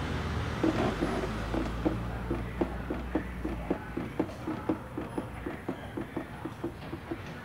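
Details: Space Cross rear suspension creaking, rhythmic squeaky creaks about two a second as the rear is worked; the handbrake lever had loose bolts and the stiff handbrake cable was rubbing, needing removal or replacement.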